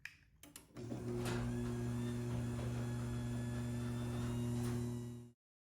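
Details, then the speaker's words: Garage door after quieting work including switching to a belt drive opener: a few clicks then smooth steady motor hum with low drone, running quietly compared with the loud door before. "And here's a brief tease at just how much better the door sounded after I was done."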